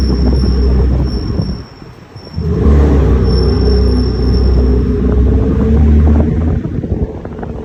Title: BMW m3 f80 rear brakes making noise while turning (only when brake pads are warm)